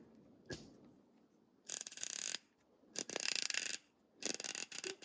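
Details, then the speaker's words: Ratchet comparison (Snap-On vs Pittsburgh Pro), sealed-head ratchet: three quick bursts of crisp, evenly spaced clicks as the handle swings back; nice solid clicks, solid pawl engagement, normal healthy ratchet. "I can't remember if I got into this one or not, but listen to it. Nice solid clicks here."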